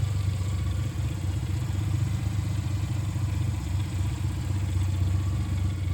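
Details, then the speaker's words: 1996 Suzuki Jimny K6A turbo manual with aftermarket exhaust, recorded from the engine bay after cold start: even low putter about four pulses a second, no misses, stumbles or leaks; normal smooth idle. "Runs really nice and smooth. No stumbles or anything. No leaks or anything either."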